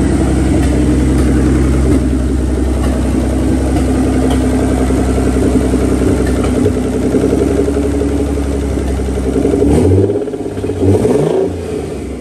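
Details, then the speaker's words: Nissan 300ZX twin turbo just running again, brief run without coolant: engine idles and revs with an uneven beat, an occasional skipped pulse; intermittent misfire, cause unknown. "But yeah, um I could for sure hear a miss. Uh like it has a little miss here and there."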